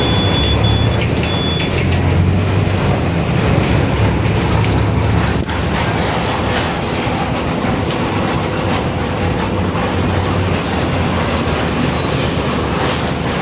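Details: 2021 Marcopolo Torino S long-body city bus on Mercedes-Benz OF-1721 BlueTec 5 chassis, BR Mobilidade route 927: steady low droning growl under road and engine noise while driving, from the rear differential. Differential growl.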